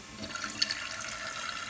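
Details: Toilet tank refilling with a steady, harsh hissing rush of water from the fill valve; noisy fill valve, suspected worn rubber seal inside, to be replaced.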